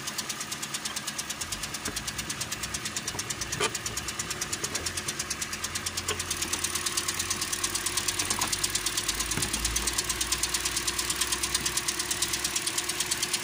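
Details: 2013 Toyota Corolla 2.0 XLI 3GR gasoline engine at idle, and the owner says the noise goes away when warm. A sharp, regular tick-knock about 1.5 times a second, first suspected as connecting rod bearing.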